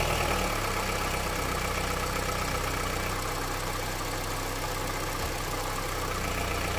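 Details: Honda CR-V, 200,000 km, cold engine idling in Drive on 5W-30 oil run 5,000 km. A faint, uneven light tapping knock rides over the hum, cause unclear. The owner is testing whether thicker 10W-40 oil changes it.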